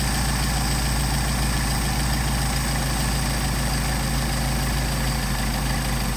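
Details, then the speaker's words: Mercedes 190SL with rebuilt Solex carburetors, idle around 700–750 rpm, idle mixture screw turned in during adjustment: low uneven idle sags and stumbles nearly dying, rpm recovers when backed out; lean idle stumble. "Now that's an exaggeration. You can hear it starting to die. Bring it back. You can hear the RPM pick up."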